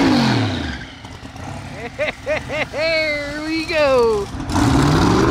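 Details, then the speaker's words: Drag car at the strip, pulling under load: engine pitch surges and drops unevenly, cutting out and catching. Team suspects wiring is still off and it's losing ignition. Unconfirmed. "Wiring wise, I think it's still off. It sounds like it's losing ignition and stuff."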